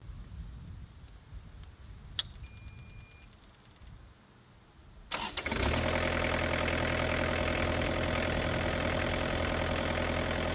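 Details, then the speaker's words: Kubota KX121-3 excavator diesel cranking and catching, then idling with a steady high squeal; owner believes it comes from the worn belt driving the fan and water pump, later replaced along with the A/C belt. "I have um an issue with the machine if you didn't realize on that first clip that I showed that it squeals a lot and um this is an ongoing thing and I'm pretty sure it's related to the Belt that drives the"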